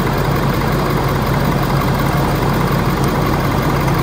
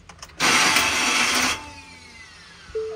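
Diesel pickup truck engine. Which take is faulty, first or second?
second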